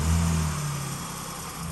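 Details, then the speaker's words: 2012 Jeep 4x4 after about 200 miles, an oil change and a non-leak-down oil filter: brief rev settling into an even, steady idle with no tick left; runs healthy. "It does sound darn good."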